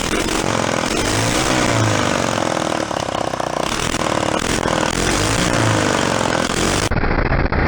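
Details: Small 49cc four-stroke bike engine kit with factory muffler, first fire-up on antique-style pedal bike: quick revs rise and fall cleanly, settling to even idle; runs healthy.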